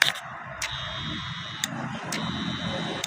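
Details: BS6 petrol motorcycle fuel pump run by a tester plugged into the pump socket, key off, microphone at the pump: faint steady high hum with occasional sharp ticks, no grinding or stutter; pump works normally.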